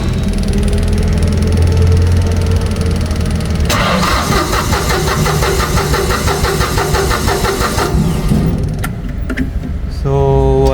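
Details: Auxiliary diesel engine with new solenoid and fuel pump; starter cranks with steady rhythm but never fires; low-pressure pump delivers but no fuel at injector lines, blown fuse, fuel shutoff solenoid not powered: crank no start.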